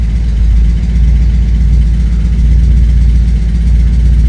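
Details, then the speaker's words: 1986 Porsche 944 Turbo idling after it was started by shorting the crankshaft position sensor circuit with a test lamp: deep, smooth low rumble with no knocks or misses, holding idle steadily. "Короче говоря, машина заводится, мы трогаемся с места без проблем. Заводится даже на холостом"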